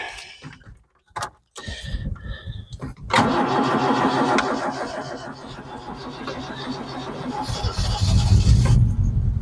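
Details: Vauxhall Chevette barn find with suspected head gasket problem and creamy oil, started for warm-up before engine flush: cranks, catches, idles with thin high squeal; drive belt still squealing after standing, needs adjusting.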